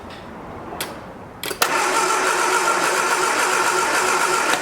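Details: 1979 Triumph Spitfire with electronic ignition that sat about 20 years: a few clicks, then the starter churns steadily near 220 beats a minute but the engine never fires; a spark is seen at the test plug.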